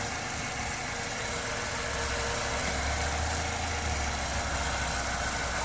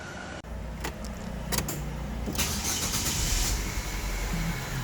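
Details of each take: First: Structurally modified LPG-converted car after fixing poor contact in two field wires: steady, even idle with no stumble or shake, stays smooth when wires are wiggled; temporary repair, part still needs replacing. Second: LPG-converted car at start-up: brief crank then an uneven, lumpy idle with irregular low thumps and heavy shaking; misfire traced to a faulty gas ECU connection.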